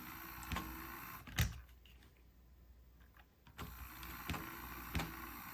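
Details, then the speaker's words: On30 steam model locomotive with broken and missing parts on DC power: sharp isolated clunks about every second over faint motor whir; drive moves so far then gets hung up, suspected gear fault inside. "I can hear it clunking let's try it backwards yeah it goes so far and then gets hung up in something so it looks like we've got a gear fing inside"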